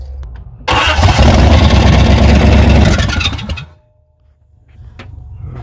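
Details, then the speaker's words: 1994 Chevy C1500 Silverado 4x4, cranking with fuel fed from a jug: harsh rough grinding with a fast pulse over about three seconds; starter gear chewing against the flywheel, starter problems remain. "sounds like we're going to have to figure something else out with that starter too as you can hear it and the flywheel beating each other up it sounds like so still got starter problems"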